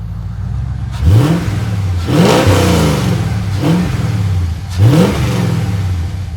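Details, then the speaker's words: Auction-yard car with aftermarket exhaust, engine bay sprayed with coolant-like coating: four strong revs rising and dropping cleanly to idle, no knocks or stumbles, whole car jerks; sounds healthy though running slightly rich. "Just when you rev it, woof, feels so good. I mean, it sounds really healthy."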